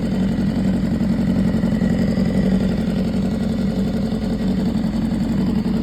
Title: 2015 BMW s1000rr running with TOP END TICKING noise 7.8K miles